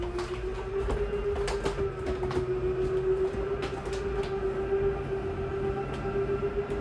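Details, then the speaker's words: 2023 Jayco Jay Flight 294QBS travel trailer slide-out motor moving the room in and out: steady mid-pitched whine with light gear chatter; brief gear grinding at full extension or retraction is normal. "Some people get scared. Once they hear that little gear grinding noise, they start to freak out, but that just means you're fully extended or fully in."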